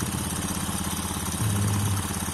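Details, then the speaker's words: Honda Beat FI (injection) scooter, owner complained of rough sound, rear vibration and weak pull; after the CVT front pulley was cleaned and reassembled, the idle is a steady, even low putter with no rattle, noticeably smoother; normal idle. "stasioner udah terasa udah kelihatan suaranya lebih halus"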